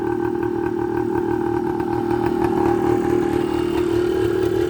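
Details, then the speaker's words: 1980 Suzuki TS125 two-stroke after an ultrasonic carburetor clean, just started on choke: crisp, even idle at constant pitch with no misses or surging, purring; normal idle. "hey i'll take it this thing's running great listen to that thing ah she's just purring"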